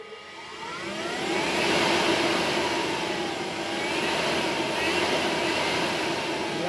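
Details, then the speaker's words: HPEVS AC-50 electric motor on a 144V controller with the motor type set to 20 (AC-20): high whine sweeping with motor speed over the drive noise; whine persists with a motor type not matching the AC-50, controller had been configured for a Solectra AC24. "still got get that whine. So, this controller was configured as as a Selectra AC 24."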